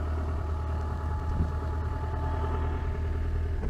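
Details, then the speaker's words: 1991 Land Rover Defender 110 with 330,000 miles, after freeing a fan belt that had intermittently caught on something near the alternator: a steady low diesel rumble at even idle with no squeal or rubbing. It sounds better and is charging. "I've just noticed the fan belt's been catching on that every so often. Oh. That sounds better."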